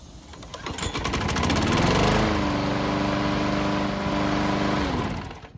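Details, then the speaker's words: Bolens mower, hot after several minutes running: restart fails until primed again, then catches after a short crank and runs steadily; hard hot starting, carb or engine problem suspected. "Well, this is not a good sign. Now we have to wonder if this hot starting problem is fuel related or an engine issue."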